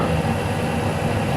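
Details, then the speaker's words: Lathe single-point turning an internal thread for a locknut on a rotating welding positioner, at reduced spindle speed after a bad-sounding 0.1 mm feed: steady, even cutting rush with no chatter, now cutting 1 mm deep; smooth, clean cut. "this sounds better okay now it's two millimeters from diameter so one millimeter deep"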